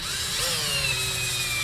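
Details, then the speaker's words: Axial SCX10 II Deadbolt RC crawler teardown: while removing the shocks, the electric drill's high whine sags steadily in pitch as a screw is driven out, slowing under load; owner suspects the drill battery is nearly dead. "Sounds like my battery's about dead."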